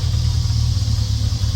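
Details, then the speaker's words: Triumph TR6 running off an electric fuel pump, oil not yet changed, settings still to be adjusted. A low, fairly even idle rumble with a slight loping pulse and no knocks. Normal, acceptable idle. "that's itle is pretty nice actually I mean I know I got to mess with the settings here on the car"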